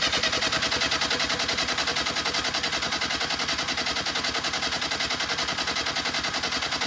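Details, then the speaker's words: Willys CJ2A Jeep, start attempt: steady rhythmic chuffing as the starter spins the engine about two and a half beats a second, never catches; owners suspect carburetor bowl not yet full or timing way off; fuel then leaks from carburetor bottom. "Maybe the bowl's not full yet. Might take a minute, right?"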